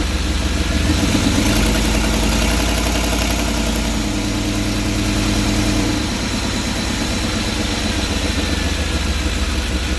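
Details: 5.7L TBI V8 idling with the interior engine cover removed, louder than normal, with a raspy, uneven puffing tick over the low rumble; an exhaust leak somewhere in the engine compartment.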